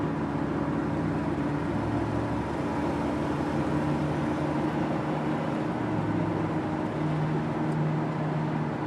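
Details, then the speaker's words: 1999 Ford Crown Victoria on the freeway with the window up: a steady low drone over road noise that gets louder off throttle. It appears above about 30–40 mph, with no vibrations; the source is not yet found. "I can start to hear it a little bit. The window up. Hear that hum? Hear it. As I let off the gas, it gets a little louder."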